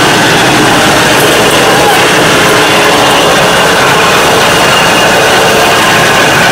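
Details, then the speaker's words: 1995 Dodge Ram 1500 on jack stands, rear wheels spinning in gear: steady rushing rear axle noise, louder with speed; pinion bearings suspected, not confirmed. "That's what the noise is. The faster you drive, the louder it gets. These Dodge Ram trucks are notorious for their pinion bearings going bad,"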